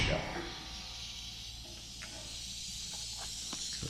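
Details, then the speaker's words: DeWalt 60-gallon air compressor newly installed in a shop with PEX lines to each bay; once the lines are pressurised a faint, steady high hiss carries under the quiet, compressed air leaking at a fitting; regulator possibly set near zero. "i hear some leaks oh it might be well actually this is set on zeros grain i guess you crank it in enough it stops"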